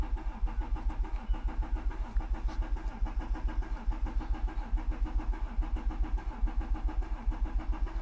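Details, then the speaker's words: Mercedes CLS 320 CDI 3.0L V6 diesel cranking with a sensor disconnected and foot to the floor, not starting: a steady chug that misses a beat, reported as a misfire. "so you can hear it messing the beat as I would see"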